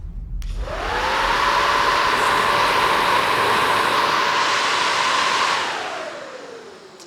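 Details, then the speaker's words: Nissan 240SX (SR20) with overheating problem: old cheap electric radiator fan on the shroud, tested before the SPAL fan, spins up to steady whooshing hum with clean even tone and winds down smoothly; runs normally. "I mean, that one's going pretty quick. I'm excited to see if this SPAL one can do better, so I'll flip this thing around."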